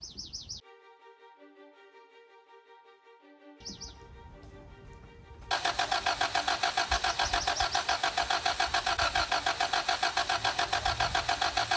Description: I try to start the 2003 Camry but it won't start. The engine turns over and it cranks but it won't start.